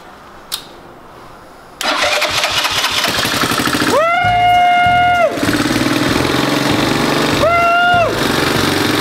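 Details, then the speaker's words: Engine in the drivetrain donor for a 1969 Roof Palomino lawn mower Jeep project, after swapping in a replacement starter solenoid; starter whirs briefly, engine catches at once, steady idle and two clean revs; starting system working. "we got it running we know it drives goes in Reverse now"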